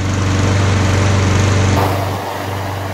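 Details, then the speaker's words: Briggs & Stratton lawn mower engine found in the street, after new spark plug and carburettor spray clean (old air filter wet and worn out): runs steady and even, then eases down smoothly, no misses or surging; running healthy. "The motor is working very well, so the next project will be a go-kart."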